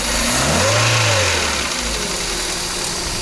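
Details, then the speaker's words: Peugeot 406 with AL4 automatic, engine revved, emitting black smoke; faint tapping knock over the revs, suspected from the cylinder head/valve area or bearings, not confirmed; engine knock. "so I've confirmed what I wanted to confirm there is a noise coming from knocking sound either it's from the valve c shop or cor buing or the be in D so there's a problem already with this"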